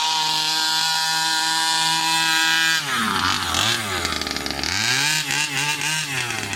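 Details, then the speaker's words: New Rovan 36cc double-ring two-stroke in a King Motor Baja 5B, first hard runs: drones flat and sluggish off the line, pulling like a 26cc, then screams with swooping pitch; leaner worsened it; low compression from excess squish. "So, first impressions, not that good. That really didn't pull well at all."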